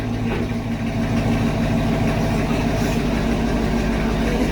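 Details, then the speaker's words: 2019 Camaro SS, 6.2L direct-injection LT1, after stuck-injector repair and oil change, burning residue from the exhaust: even, settled idle with a smooth low beat, no stumble or misfire; check engine light on but driving fine; normal idle. "But the car seems to be driving perfect now."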